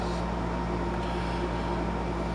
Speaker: If you're wondering what all the humming noise is in here, it's extremely warm out today, and I got the air conditioner in the window here keeping it cooled off.